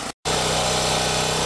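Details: Champion generator, after no-start fixed by checking fuel lines and refitting a carburetor part: even, constant-pitch drone under load, no hunting or surging; owner suspects fuel distribution issue or bad fuel.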